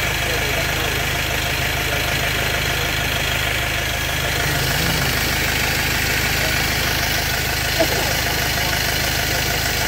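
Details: Steady diesel idle with a slightly uneven clatter at about three beats a second on a Vauxhall van with a white smoke problem; a failing injector or fuel filter is suspected.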